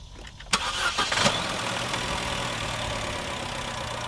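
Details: 2012 Chevrolet Cruze 1.4L turbo four-cylinder after a fix for a misfire under load and on hills, codes cleared: quick crank, clean catch, then a smooth even idle with no stumble; runs on all cylinders.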